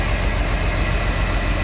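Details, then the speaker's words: 1997 Chevy Blazer 4.3 V6, about 140,000 miles, after replacing worn original distributor cap and rotor for no-spark no-start: steady, even idle with regular firing pulse, no misses; running normally. "sure enough she fired right up"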